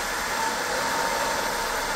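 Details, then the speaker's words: 20 W diode laser engraver module, top-mounted cooling fan always on, phone a pencil-length away with the metal cover fitted: steady airy fan rush with a faint whistle; the cover restricts intake airflow. "now let me just put the metal one you can really hear the Restriction of"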